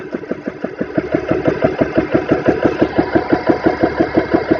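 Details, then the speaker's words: GX CS3 4500 PSI air compressor, test run set for 3,000 PSI with fans on, bleed valve then closed: steady, very even piston thumping about three beats a second, building as pressure climbs toward 1,000 PSI; running healthy. "So all right, it says to make sure the bleed valve is open, turn it on, fans are on, and we got it set for 3,000. Hit start. Close the valve."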